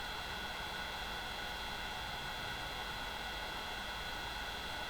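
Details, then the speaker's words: Opus BT-C3100 v2.2 Li-ion charger with its stock cooling system while discharging: steady loud airy whoosh with a shrill whine, the noisiest of the compared setups, annoying enough to disturb sleep. "зарядні пристрої розташовані по рівню шуму на першому місці у нас опуск такий надокучливий шум він Дуже заважає спати"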